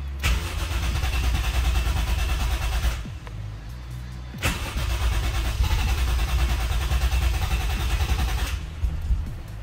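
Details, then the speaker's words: Toyota 1JZ with electronic throttle deleted, idle adjust screw wound in, in neutral: two long rough cranking bursts of about three seconds with a cough or two, never catching; owner suspects it needs more throttle. "Probably needs a bit more throttle. It like started to cough and splutter."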